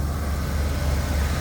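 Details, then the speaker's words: Auction truck started with a jump box, new master cylinder, transmission fluid not burnt: deep even low rumble, steady level, no knocks, misses or whine; normal running. "Sounds real good, bro. We're making it the whole way home, baby. No issues."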